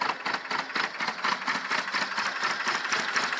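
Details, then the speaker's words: 1978 Jaguar XJ6L after 25 years sitting, running on jump pack: uneven, lumpy idle, irregular pulses near two per second, hissy top end, clearly missing; rough running, owner suspects dirty injectors and wrong fuel pressure. "It's running, not very good. We're going to have to take those injectors out and clean them, I think."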